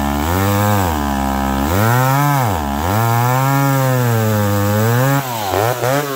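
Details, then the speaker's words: McCulloch Pro Mac 1010 chainsaw cutting with a freshly sharpened chain. It revs up and pulls steadily through the cut with an even pull, yet a slight unevenness lingers under load. Much better, still not perfect. "well i believe old mccullough is much much better it's still it's still just a little something there but it's much better that chain is very sharp now"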